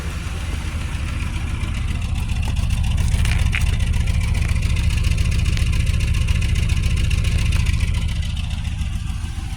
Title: 2004 Buick LeSabre misfire with no spark for Cylinder 1 & 4 (GM 3800)